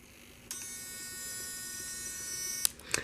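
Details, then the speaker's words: Savox steering servo in another RC truck, powered by its receiver battery pack, gives a steady high-pitched electric whine at one even pitch; normal servo whine. "But you can hear the whine of that Savox in"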